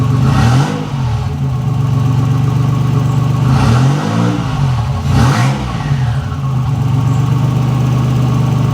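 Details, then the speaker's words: 1985 Nissan 300ZX Turbo (Z31), formerly misfiring and cutting out under boost, now fitted with new spark plugs and wires and a torn intake charge-pipe hose replaced: deep, loud exhaust drone swelling cleanly as revs climb, no stumble, boost now builds. "i just swapped it to a new piece of hose put the clamps back on it and boom we got a boost now"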